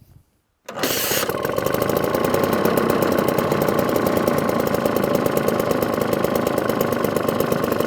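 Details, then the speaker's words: 1954 Atco Kick Start mower with Villiers Midget two-stroke engine, unused six or seven months, started on half choke; catches after a short pull and settles into a steady crisp two-stroke beat; normal start and idle. "well that's not bad for 1954 1954 up in South for seven months seven eight months and it jumps into life"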